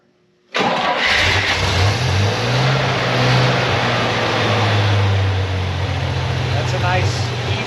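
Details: Lemonhead started with a little throttle and ignition in on position: silence, then catches at once and settles into steady even run, no stumble or misfire. Normal start.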